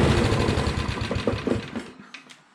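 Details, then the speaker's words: Honda mower engine after cleaning a rusty ignition coil: a soft, even single-cylinder putter at low throttle, steady and quiet with no knocks. Normal low-throttle idle. "so that's not too bad"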